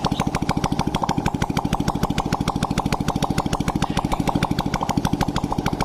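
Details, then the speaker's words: Honda Blade motorcycle after new boring and head fitted to cure oil smoking, exhaust removed: sharp, even popping idle with no misses or rattles; engine sounds smooth, normal idle. "Hai mesin pun suaranya lembut berarti permasalahnya fix di bagian knalpot"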